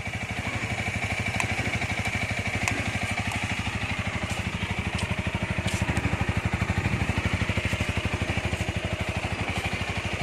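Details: 2019 Honda Rebel 300 fuel-injected motorcycle, original and said to run strong: even, smooth idle thump about three a second with no knocks, ticks or misses; healthy engine.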